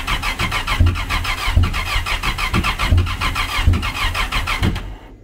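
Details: Supercharged SVHO jet ski converted to compound turbo (Garrett G42-1450), first start attempts: starter cranks in uneven chugs, each stroke trying to fire, but the engine never catches; seems low on compression, cause not confirmed.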